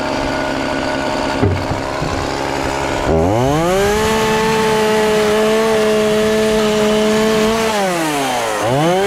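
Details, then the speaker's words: Homelite chainsaw after sitting for years, carburetor and fuel lines replaced and tuned, cutting a pallet test run: revs cleanly to steady high scream, holds without stumbling, drops back smoothly; running healthy, though tune varies with temperature. "got it tuned up adjusted just right but you know how chainsaws are made man just different tunes at different temperatures"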